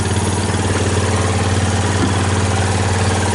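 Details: Steady low idle with even pulses, no stumbling, on a 2000 Kawasaki Lakota just started after taping up a broken fuse holder that caused intermittent battery power, stalling and starter problems; relay clicks at key-on, oil checked good; runs stable.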